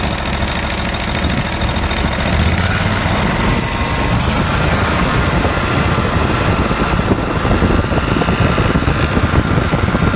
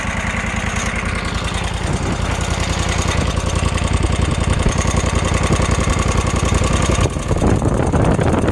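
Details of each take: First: Kawasaki FH601V V-twin on a 1700-hour Scag Tiger Cub mower, after repair of governor fault that revved past 3600 rpm, oil leaks and a clanking worn plate mimicking rod knock; now runs normally at steady, even speed with a smooth low drone. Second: Kawasaki FH601V V-twin on a 1700-hour Scag Tiger Cub mower that revs past 3600 rpm; loose, irregular metallic clanking at idle from a worn plate that mimics rod knock but isn't.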